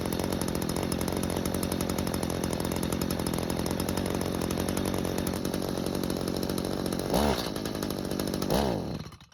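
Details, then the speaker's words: Stihl two-stroke hedge trimmer stored with old fuel; after L screw turned out a quarter turn for more fuel it holds a steady idle, flares briefly twice on throttle then dies; low-speed mixture too lean. "So, the extra fuel helped out a lot and kept the engine running. However, when trying to squeeze the throttle, it stopped."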